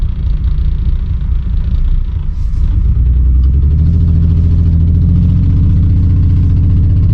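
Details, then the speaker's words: Mistreated BMW e46 running on raw-smelling fuel, catalytic converters and O2 sensors removed, pulling away on a test drive: deep, loud, boomy, unmuffled exhaust rumble rising under load; exhaust leak, horrible exhaust. "but that exhaust is horrible it's not a bad car it was just mistreated"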